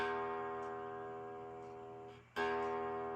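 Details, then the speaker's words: Fender Strat-style guitar after lowering the bridge saddle and evening its height screws: open strum rings clean and sustains, second strum just as clear; no fret buzz. "no buzzing. So what causes the buzz is, if it's too low, it'll actually hit the fret, and it'll cause a buzz."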